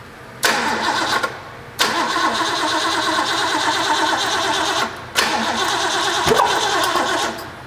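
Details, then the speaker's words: Ford V8 from a 1972 Pantera barn find, off the road about four decades, rebuilt, primed carburettor with oil pressure up: repeated strong cranking bursts with only a stray pop; ignition timing 180 degrees off, crank no start. "it's doing exactly what I said initially it's off 180"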